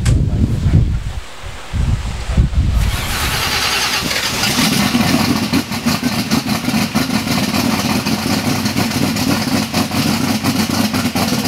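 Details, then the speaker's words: Bonneville race car's newly installed second engine, a 484 cubic inch A-fuel engine, first fire-up: catches after a few rough bursts, then a loud, steady, even rumble with no knocks or misses; normal running. "Hey, so uh you heard it fire. Sounds good. Smells good."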